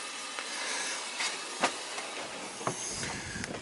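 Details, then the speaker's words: Uneven hissing with sharp spits as trapped air blows out of the return valve while water refills the hydronic heating loop of an oil-fired boiler, purged during recommissioning of a winterized oceanfront home. "you'll see all the air coming out what it's doing is it's pushing you know through the loop and then back it's pushing through the loop through the house and then coming back and out the Hol you'll see it starts spitting"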